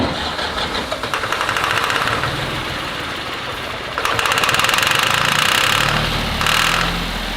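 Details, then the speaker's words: Little garage-sale diesel tractor, fresh clean fuel added: cranks, catches and runs unevenly with rough surging bursts; owner suspects a weak fuel pump only gravity-feeding, fuel lines replaced and battery good. "I think it's only uh really pumping because of the gravity feed. Gone this little tractor for a few hours now. I think maybe the pump is just not strong enough."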